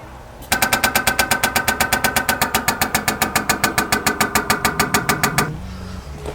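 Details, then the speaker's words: Electric fuel pump on a 1968 Jaguar 420G under restoration, run after renewing the pumps and clearing the fuel lines: even, sharp ticking at about 3.5 beats a second, then quiet; the pump cycles slower than hoped. "did it work i think it did didn't sound as fast as i was hoping"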